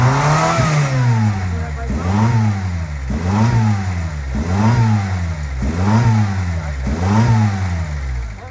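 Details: 1999 Honda Civic at a high idle: engine rises and falls in a regular hunt, about one surge every second and a quarter, revving itself; owner suspects a vacuum leak.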